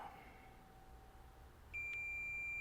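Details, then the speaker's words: Sega CD Model 2 laser-head limit switch checked with a continuity tester: quiet, then a sudden steady high beep holds once the laser head is moved to the end of the track and displaces the switch. Switch conducts. "Okay, no connectivity."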